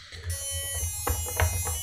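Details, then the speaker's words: FPV quad at power-up during RPM filtering tune test: a steady, piercing electronic tone over background music as the lost-model beeper is left switched on. "oh my God the buzzer is on oh my Lord"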